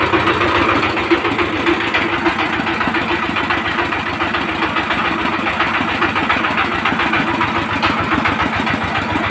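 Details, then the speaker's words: 20 hp single-cylinder diesel engine (power tiller type) runs with a sharp rhythmic knock about three to four times a second and slightly uneven beats; loose valve tappet clearance, before clearance and nozzle adjustment. "তো আপনারা এই সাউন্ডটা তো শুনলেন ইঞ্জিনটার sound একটু problem আছে মানে একটা ধাক্কা মারছে"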